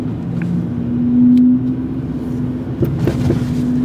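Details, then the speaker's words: 1984 Trabant 601 S de luxe on the road: over steady road rumble, a few sharp clunks land close together; knock from somewhere on the left despite springs seated, bolts tight, TÜV finding nothing; cause unclear. "Oh, ich hab was gehört. Oh nein, es ist immer noch da. Er klötert immer noch."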